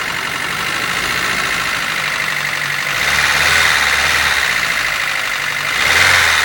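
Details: Nissan S13 (Javii) at idle with a busy, fairly quick metallic clatter riding high over the engine note; engine noise of unclear source.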